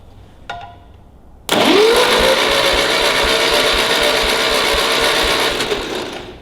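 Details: Ferguson TEA20 tractor, compression test during restoration: starter whines to a fast, even spin with no compression beats; tester reads nothing on these cylinders, only one, likely the firing one, has compression.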